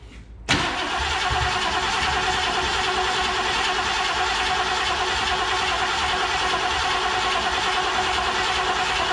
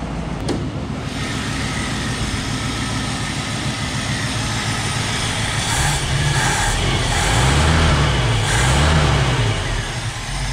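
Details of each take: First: 1969 Mercury Cougar Sport Special with a 351 Windsor 2V V8, sat about 20 years: steady cranking churn for about nine seconds that never catches; no fuel reaching the carburettor. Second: 1969 Mercury Cougar Sport Special, 351ci Windsor 2V V8, revived after about 20 years sitting, once fuel worked through the carb after a plugged tank pickup; worn but functioning accelerator pump: deep steady V8 burble, smooth light blips, running cleanly.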